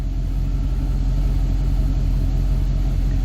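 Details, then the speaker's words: 1966 Pontiac Catalina wagon V8 starting very quickly in park, then steady low even rumble as the IAC ramps down into normal cold idle, no knocks or misses; IAC had been faulty. "so she should come up, and boy, she starts real quick now. And then she'll start it in our parked position. The IAC ramps down."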